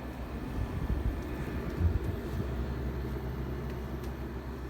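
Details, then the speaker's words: 1968 GE Fashionette 6000 window air conditioner, cleaned, fan motor lubricated, new filter foam, on low cool: soft, low, even rumble of fan and compressor, no rattles or squeals; very quiet, quieter than a Porter Cool on low. Normal running. "thermostat here is very quiet unload I was surprised it's much quieter than a porter cool on low setting"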